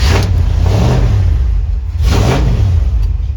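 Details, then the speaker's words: Barn-find 1979 Ford F-100 V8 with Holley carb, started cold: deep uneven burble with lumpy surges every second or so, running rough while cold; cause not confirmed. "Fred growls, huh? A little bit. He's ornery when he's cold."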